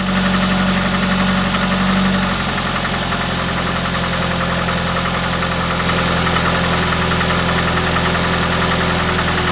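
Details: Chevy S-10 2.2L four-cylinder, 154K miles, clicking for 45K miles, Flowmaster 40 exhaust: steady, fast light clicking over an even idle with a deep exhaust drone; suspected valve clicking, not confirmed.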